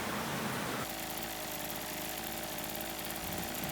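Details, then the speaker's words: Maruyama MB228V two-stroke brushcutter, about 10 years old, revived after years unused, maintenance done incl. Walbro WYK carburetor and gearhead greasing, no blade fitted: high buzz picks up revs then runs smooth and even; normal running, no load. "Động cơ quay êm, cảm giác rất tốt. Việc bảo dưỡng đã hoàn tất, và động cơ có vẻ hoạt động tốt."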